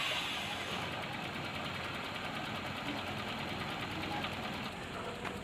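Small single-cylinder engine ticking over evenly with a steady buzzy beat and no misses; sounds like a healthy idle.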